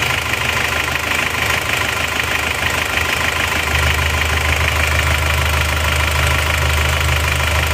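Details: Isuzu Panther Turbo diesel after piston ring replacement only, liner not replaced, for high oil consumption, idling at 79° working temperature: no blow-by smoke at all. Steady even idle, smooth low beat, no knock or miss; normal idle.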